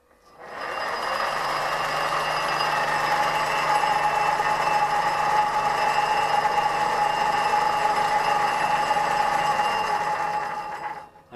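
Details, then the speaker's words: 1958 Meddings Pacera M4 drill press after repair, with 6205 bearing replaced and worn shaft welded and turned down on the lathe, no play now: smooth, even motor hum with faint ringing from the aluminium castings, no knocking; running normally, much quieter than before. "there's no play there now, so a little ringing from the aluminium, but that's absolutely fine, as I say, before it was actually completely unusable."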